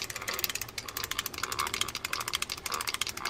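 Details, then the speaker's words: Fishing reel in for service, free spool working, handle cranked with the drag tightened: fast, uneven clicking and gritty ticks from a bad, worn gear inside the reel. Replacement gears need ordering. "let's tighten down that you can hear it and that's a bad gear"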